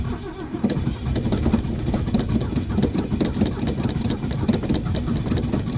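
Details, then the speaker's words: Classic Ford at -30 degrees, pedal pumped then full throttle: starter churns with a regular beat for several seconds and the engine never catches; cold crank no-start, cause not confirmed. "Come on, just fire. It's trying really hard. Yeah, I don't think she's gonna start."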